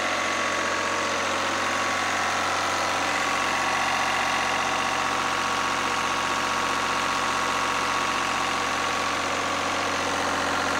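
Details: Lister #2 single-cylinder diesel generator just after fuel system plumbing from a former 20-gallon dry-sump oil tank, leak-check run (no drips): even, unhurried beat about three thumps a second, steady without misses; healthy idle.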